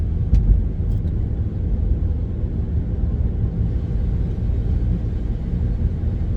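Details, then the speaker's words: Car with loud whirring, airplane-like front-end noise while driving: steady low hum, constant on and off load and when turning, seems to come from the front. Worn front wheel bearing suspected. "The noise is kind of constant whether you're on the tire or off the tire."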